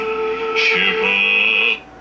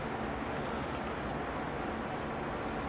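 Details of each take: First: 1951 Stromberg-Carlson C1 tube clock radio after replacing a 12BA6 tube with a suspected heater-to-cathode short that caused hum: music plays clean and steady with no hum, crackle or fading; the set receives properly. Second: 1951 Stromberg Carlson C1 tube clock radio with its original filter cap, first power-up before recapping: a steady low hum under constant hiss, present even with the volume down. A microphonic heater-to-cathode short in a tube is suspected, not the filter cap.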